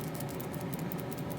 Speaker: I'm just getting ready to fix this into the cabinet and noticed it rattled I couldn't figure out what it was they looked to be a capacitor and it felt like the rattling was coming from that